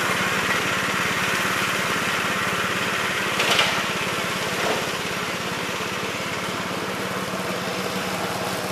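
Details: 1969 Gravely C8 tractor, morning run after no-high-range repair: single-cylinder engine holding a steady, even buzz at constant speed, no misfires or knocks. Runs smoothly.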